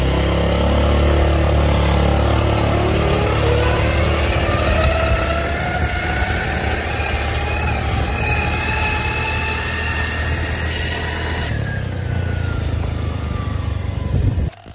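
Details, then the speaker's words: Automatic scooter (Beat/Vario/Mio type), riding under way: coarse whine rising in pitch with road speed over engine drone, final drive gear whine from low or neglected gear oil; fix needs gear set and bearings replaced. "suaranya begitu Ya Kasar banget suaranya"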